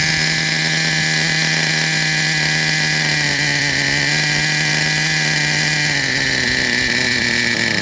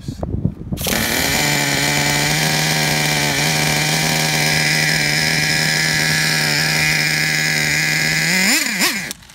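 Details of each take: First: Traxxas Revo 3.3 nitro RC truck, engine good; it still needs a new transmission, spur gear, starter motor and one-way bearing. A high-pitched nitro buzz holds a steady, even note with slight wavering; it runs cleanly and sounds healthy. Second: 2009 Traxxas Revo 3.3 nitro RC truck engine: a high buzzing runs steady for several seconds, then the pitch wavers and surges before it cuts out. The engine dies because it ran out of fuel.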